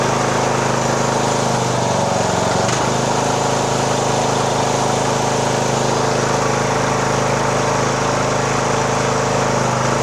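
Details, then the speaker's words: 2014 Poulan riding mower, 14.5 hp single-cylinder, just started with choke in neutral during tune-up, fuel filling the filter; steady, even beat holding constant speed, no misses or knocks; runs smoothly and healthy. "[Music] that runs good okay"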